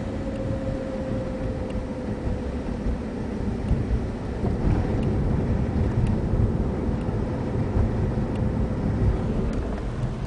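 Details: VW VR6 24v with 02M transmission, stock, 120k miles, cruising: thin steady mid-pitched whine over road rumble, most obvious between 35 and 40 mph and gone after 47 mph; drivetrain whine, cause suspected, not confirmed.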